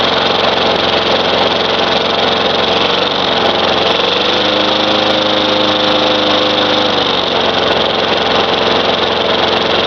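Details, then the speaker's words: Craftsman 4.5 hp Tecumseh mower that had diesel in the cylinder, running after the fouled spark plug was cleaned: a steady, even single-cylinder buzz with a slight dip and recovery, no knocks or misses, while smoking blue. It runs. "But it did start, so it's a runner. It works."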